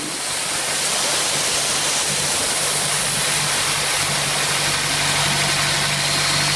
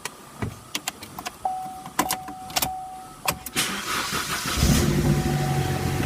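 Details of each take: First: 2012 Chevrolet Sonic at about 100,618 miles, before valve cover/PCV replacement: steady idle with a constant loud airy hiss that stops with the engine; a vacuum leak at the failed PCV valve. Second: 2012 Chevrolet Sonic, 100,618 miles, after valve cover and PCV replacement for an oil leak: clicks and clunks, then it catches and settles into a smooth, quiet, even idle with no ticking; normal idle.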